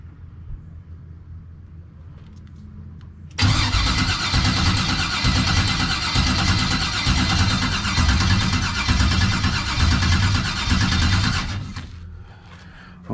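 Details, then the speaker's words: 1989 Chevy with a no-start, new starter fitted after an external fuel pressure regulator, new filter and return line; engine still won't fire. Strong even cranking about three beats a second, no grinding or clicking: normal starter cranking. "I know one thing, that starter that I got on there now is doing a way better damn job than that first starter I had."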